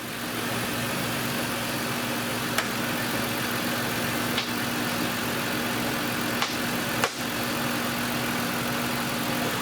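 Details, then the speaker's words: 2010 Chevrolet Impala 3.5 L with P0171/P0496 codes, after smoke test found no leaks and new purge solenoid fitted: steady, even idle with no hiss, ticks or misses; fuel trims near zero, normal running. "No leaks, no vacuum. Engine is running pretty smooth."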